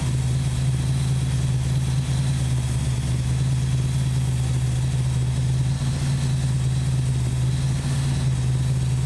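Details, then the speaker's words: 1968 Valiant ute, 318 Mopar V8, had been running rough and hard to start, after carb mixture screws set at one and a half turns: steady even low rumble, no hunting; normal idle. "[Music] well it's running a lot better well it's actually running"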